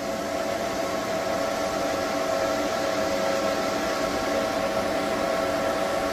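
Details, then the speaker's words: EG4 6000XP parallel inverters at full overload, about 95–105% load, pushing 12,000 W, with grid bypass: loud, steady cooling-fan rush with a faint constant hum; one unit louder than the others but not by much, normal under full load. "so so you hear the noise that one's go 12,000 watt these two are pushing 12,000 Watts those are quieter that's louder but not by much"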